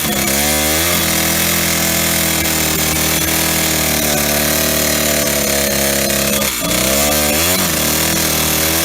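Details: Old Stihl 08S chainsaw, first run in a while on old gas, cutting a small log: note sags hard and labours under load, recovers when freed; knocking from top or bottom end, very low power.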